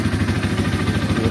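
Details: Bajaj Pulsar N150 single-cylinder at idle after Bajaj workshop fix with tape: light clatter on each firing beat, rpm hunting up and down as before; tappet tick reduced but not gone.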